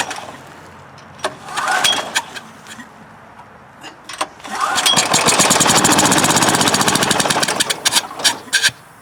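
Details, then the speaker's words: Westinghouse generator with dirty carburetor, plugged exhaust and dirty fuel, on choke after starting fluid: fires in ragged popping bursts, catches a few seconds, sputters and dies, air hissing from muffler; won't keep running. "It's trying. Interesting, I hear the sound of air hissing out of the muffler."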